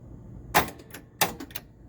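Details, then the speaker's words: Whirlwind pinball machine in attract mode after electronics repair, Black Hole board added, no sound yet: two sharp clacks about two-thirds of a second apart over quiet hum; owner suspects outhole kicker solenoid or gate relay, unconfirmed. "but why am i hearing some other thing click is that just the gate relay it kind of sounds like a solenoid is firing it does what is it it feels like it's the out hole is it the out hole kicker let's see"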